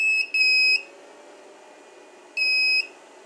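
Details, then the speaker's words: 2000W power inverter running from a car battery with a test light bulb: high shrill buzzer beeping about every two seconds, its built-in warning that input power is too low. "Um this inverted has a feature that if it has low power it beeps."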